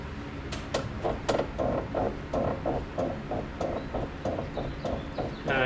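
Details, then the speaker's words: S550 Mustang GT, wheel on ground with load, turning steering: dry creak about three times a second from front end; sway bar end link ruled out, owner suspects top of airbag strut, unconfirmed. "still have I still have sound coming through. So that means it's at least not that end link."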